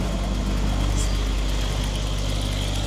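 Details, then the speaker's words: Mercedes E63 AMG-S V8, rebuilt after a wreck, first start: deep, smooth idle with a steady low rumble, no ticking or stumble; healthy idle. "But before that, listen to this. Absolutely insane. This is a wild sound."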